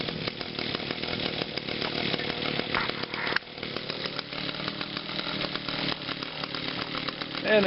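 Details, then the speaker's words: 2011 Echo PAS 230, 22.8cc two-stroke, still breaking in and hard starting, running cold on a 92°F day: a fairly steady high-pitched buzz with slight wavering as it warms, so it is running normally. "the Pas 230 running yeah she's cold"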